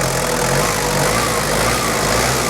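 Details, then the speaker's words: 1994 Toyota Hilux Surf 1KZ diesel after viscous fan hub replacement and 10-blade fan upgrade for overheating: steady, even idle with strong rushing fan roar, no knocks or misses; fan hasn't fully kicked in yet; healthy. "Hasn't quite kicked in yet, but everything's working, so all good."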